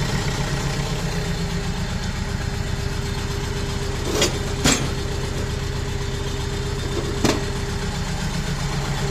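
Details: Renault Kangoo 1.5 dCi diesel, rebuilt engine running rough with cylinder-one injector connector unplugged: lumpy idle with an uneven beat and missing pulse, unchanged, so the used salvage injector is dead; a bench-tested one goes in.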